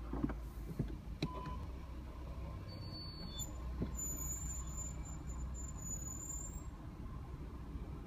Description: A3 (8V) brakes squealing - 6500 miles/ 10months old.